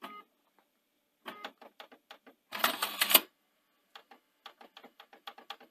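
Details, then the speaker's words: Panasonic DMR-EZ48 VHS/DVD recorder (2011), bought faulty with DVD drive issues and error codes: quiet irregular bursts of small clicks and brief whirr as the tray mechanism drives on; owner suspects a faulty tray end sensor. "it sort of drives on so it strikes me as probably something wrong with that an end sensor there for the the tray"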